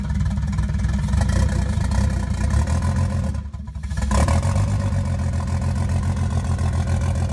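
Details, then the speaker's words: Nissan 240SX S13 with a 1JZ swap at first start-up idle in the shop, mass airflow sensor unplugged: uneven, lumpy low idle with irregular stumbles and a brief dip; running rough and rich, shop smelling of unburnt fuel. "wasn't running that great cuz the mass airflow sensor is not hooked up and these things like love their mass airf flow sensors and absolutely hate life without them"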